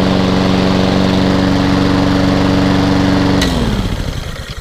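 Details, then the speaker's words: Hayter 48 mower with Honda engine from a job lot, new air filter fitted, drive working strongly: steady, even engine note at constant speed, then shut-off and smooth wind-down; normal running. "fantastic that's a relief which drives really really strong as well"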